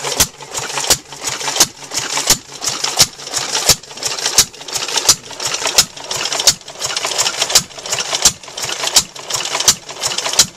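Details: Climax water pump, engine-driven, after replacing worn leather bucket washers with cut thick-rubber washers: sharp regular clacks about 86 a minute over steady engine hum, even pumping stroke with plenty of pressure; running healthy after repair.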